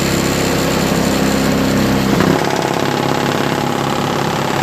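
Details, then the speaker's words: Craftsman 5HP 22-inch single-stage four-cycle snowblower with electric start, fitted with homemade floor-mat auger paddles: steady, even engine drone with a small pitch dip, no knocks or misses; runs really well. "you know what I'm gonna start it up and see what happens as you can see it runs really well"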